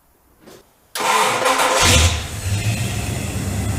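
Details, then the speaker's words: AMC 401 Jeep YJ with headers near starter, hot start after heat-soak fix: short quick crank catches within a second and settles to a steady even idle; starter may be hanging up slightly on the flywheel. "all right but she definitely doesn't seem like she's having the problem anymore"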